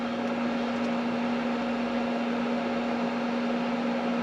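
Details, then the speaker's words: Campervan roof ceiling fan running at full speed off a Jackery power station, drawing about 80 W total: a steady, even whoosh with a constant low hum and no ticking, rubbing or wobble; it runs normally. "so what happens if i turn my ceiling fan on there guys turn it on full there you go so my ceiling fan is now in full"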